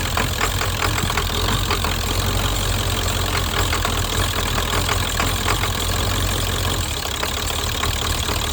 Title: 7.3 psd Misfire